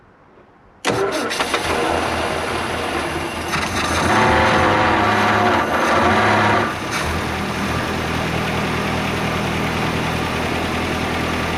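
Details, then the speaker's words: 1958/59 Austin Gipsy G1 M10 on 11-year-old original petrol, after restoring spark and priming the carb: catches at once, settles to steady idle, revs cleanly and drops back smooth; started far better than expected, a little smoke. "whirl you know that actually started up a hell of a lot better than I thought it would"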